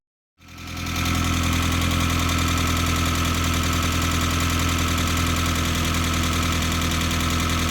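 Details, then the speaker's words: Mazda Miata 1.6 with hydraulic lifters cleaned, timing belt refitted and retimed: after starting, a light, fast, regular tick at idle while the lifters refill with oil; base timing may still be slightly out. "So it should tick like this for a while until the lifters fill up."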